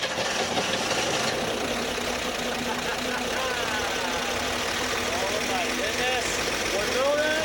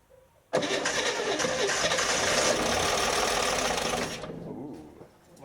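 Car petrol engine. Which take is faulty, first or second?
second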